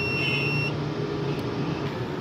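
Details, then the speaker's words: UPS/inverter kit overload buzzer: steady high-pitched beep under a second over a low hum while the overload variable is turned up to get the unit to switch on under bulb load; it then comes on at 700 W. "जी दोस्तों आपको नज़र आ रहा होगा अभी भी बजर आवाज़ कर रही है।"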